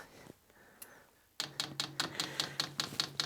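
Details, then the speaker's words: Vevor diesel workshop heater (Webasto-type) with empty fuel lines in a garage at about 0–1 °C: crisp, even ticks at about 2.5 per second while holding plus and minus to prime the diesel pump; normal fuel pump priming clicks. "il va falloir appuyer à la fois sur plus et moins pour amorcer la pompe à gasoil"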